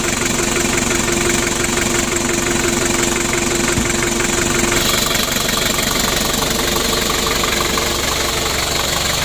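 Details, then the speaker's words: Freshly assembled Daihatsu Hiline F70 diesel engine after glow plugs fitted, first start and warm-up: steady, even diesel clatter about three beats a second, no misses or extra knock; oil pressure up, healthy idle. "Untuk mesinnya sudah hidup. Untuk olinya naik ya. Kita panasi dulu."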